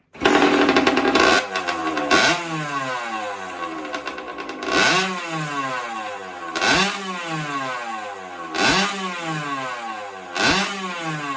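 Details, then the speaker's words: 1983 Honda CR60 air-cooled two-stroke after top end rebuild with Kawasaki KX60/KX65 piston, freshly built, slightly smoky: crisp blips, revs climbing sharply and dropping cleanly to steady idle, no knocks or rattles; normal running. "so anyway we'll get it fired up now for you you'll you can hear her hear her running she sounds great really really tough"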